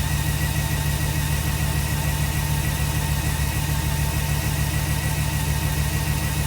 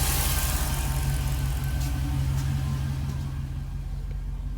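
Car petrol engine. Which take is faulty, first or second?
first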